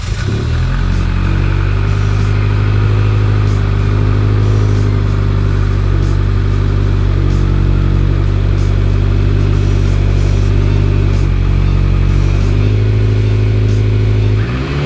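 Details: Rebuilt Mitsubishi Evo X engine on its first start and break-in, throttle varied between about 2000 and 3000 rpm for 20 minutes: a steady, even note rising and easing with throttle, running smoothly with no knocks.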